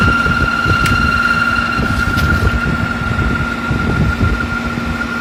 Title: A/c making weird noise